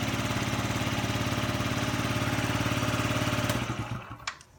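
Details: Yamaha Jog ZR two-stroke scooter (SA36J/SA39J), about 9,000 km accident bike, after repair of an abnormal engine noise: even quick putter at idle with no knocking or rattle, then a clean shutdown, a healthy engine.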